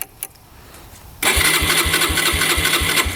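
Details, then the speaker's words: 2011 Yamaha Raptor 125 quad, reported as bogging, underpowered and not idling, now won't start: the starter churns at about three pulses per second with no firing, even with choke and throttle tried. Owner suspects it isn't getting fuel. "You crank it over and it doesn't do anything here. Doesn't even pump over to me. It seems like it's not getting fuel."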